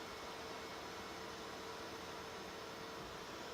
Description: Short video of how quiet the Dell R210 actually is.